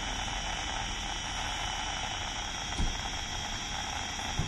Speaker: I think these two are quite strong around here and it seems to be affecting the API streams it's alright looked about yeah I have no idea what that is